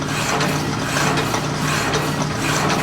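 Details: Walker Turner drill press running: even motor hum with a smooth, unchanging pitch and no knocking or grinding; it does pretty good and runs fine.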